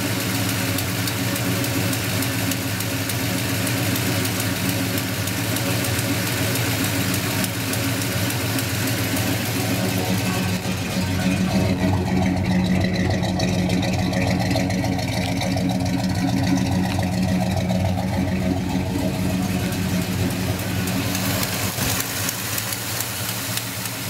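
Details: 1972 Monte Carlo V8 idling: sharp, puffing tick riding on the exhaust note, an exhaust leak.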